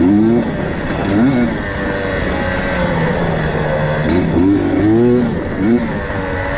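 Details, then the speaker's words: KTM TPI two-stroke, warm 10 minutes into a ride, before swapping a faulty crankcase pressure sensor: blips unevenly and stumbles and sputters at low throttle, sounding cold and loaded up. "so as you can hear it it really does sound like like the bike hasn't been warmed up but this is this is 10 minutes into the ride"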